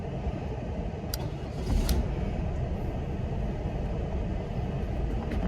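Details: Supercharged 1996 Buick Riviera started through a temporary push-to-start switch wired at the fuse box, fitted because the ignition switch sticks past run: a low, steady, even rumble with no misses or knocks. Normal start and idle.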